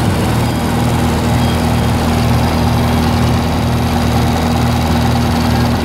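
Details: 1948 Lincoln SA-200 welder engine, long unused, revived with little work, with a short stack with resonator: an even, low-pitched idle rumble at constant speed with no knocking or missing. Normal, fairly quiet idle.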